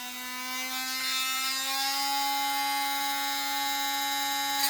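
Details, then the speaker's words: Seaglass being drilled for jewelry, started on the bench then finished under water: steady, high ringing squeal of even pitch, the normal sound of the bit biting and cutting the glass properly. "You hear that squealing? That's actually cutting. Now I'll put it in the water. And that squealing, that's actually cutting."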